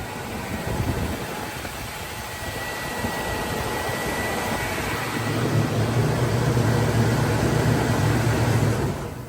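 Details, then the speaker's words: 1975 Chevrolet Caprice convertible with running 350 V8, candidate for a cheap LS swap, idling after a quick start: even, steady low rumble, no knocks, misses or ticks; runs like a sewing machine, normal idle. "Yeah, that sucker crank up, man. Run like a sewing machine."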